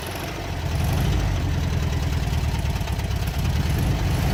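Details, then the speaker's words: 1967 VW Beetle engine with cylinder head work: rough, uneven idle with a dull knock about three times a second on cylinder one, pulsing through the carburetor. "you can hear that knock definitely on cylinder one it's pulsing through the carburetor pretty bad too"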